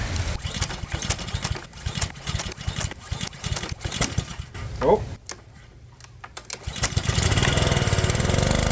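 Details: Ryobi power washer that had lost compression (broken timing chain suspected), with lots of penetrating oil in the cylinder: a few rough recoil pulls with coughs, a pause, then it catches and runs steadily and evenly.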